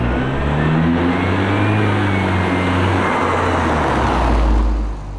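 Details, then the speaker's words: Mercedes C250 (W204) turbo after installing a Turbosmart Kompact blow-off valve with boost tap, outside view: engine pulls up under boost, then a soft, low whoosh on throttle lift, less obnoxious. Normal blow-off valve venting. "I mean, please rewatch it if you want to hear it from the outside, but it's very much a less obnoxious blow-off valve."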